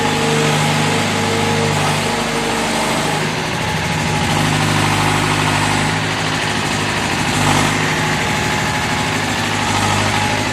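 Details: David Brown diesel tractor, which had been hard to start (a flat battery was questioned, throttle linkage checked): steady diesel chug at idle with an even beat and no misses; settling down and running normally.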